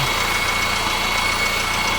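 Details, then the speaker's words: 2015 Honda Civic 1.8 four-cylinder, 73,000 miles, Texas car, during an oil change: smooth even idle with a light steady hum, no knocks or ticking; no leaks and the engine sounds really good. "but we do have it running here no leaks and engine sounds really really good nothing leaking anywhere"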